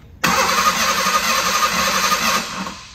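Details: 1989 Ford Bronco II stored for years, new battery: starter cranks steadily about two seconds, engine never catches; no fuel delivery, pump wiring tested (near 0 V at ignition on, 12 V on other wire, possibly swapped polarity at butt connectors).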